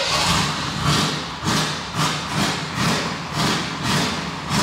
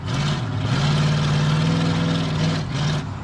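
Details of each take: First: 1988 Chevrolet Silverado, long parked, engine still cold: uneven surging about two swells a second, stumbling and trying to stall when lifting off the gas; owner suspects bad gas. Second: 1988 Chevrolet Silverado OBS short box, hot at about 201–205°, earlier misfiring at times: strong even engine note pulling steadily under throttle with no stumbles, clean running, no misfire.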